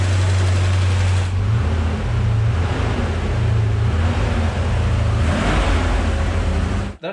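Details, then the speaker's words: Porsche 928 M28/12 4.7-litre K-Jetronic V8 after sitting 20 years: deep, smooth rumble holding a steady idle by itself without stumbling or hunting; normal idle, didn't take much work to revive. "idled happily by itself it did so far out 20 years yeah didn't actually take too much work did it"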